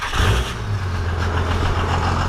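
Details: Cummins diesel truck, first start after five engine upgrades, after tightening a leaking fuel overflow valve. A steady, even idle with a deep, smooth rumble and no knocks or misses; it runs healthy.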